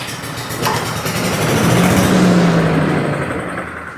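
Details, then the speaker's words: Cub Cadet leaf vacuum/chipper brought in for no-start; with compression, spark and air confirmed, the small engine catches on a shot of starting fluid, runs ragged a couple of seconds and dies; fuel-related problem, runs only on starting fluid. "we had air and the only thing we're lacking was fuel it was only able to run on that little bit of candy I put in there"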